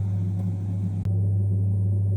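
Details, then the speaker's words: Saunier Duval gas combi boiler after the fix for humming and F2 shutdowns on hot water (pressure switch replaced, insulating tape on the metal tabs): a steady, even low hum with no knocks. Now running quietly with stable hot water. "Котел работает тихо. и бесшумно."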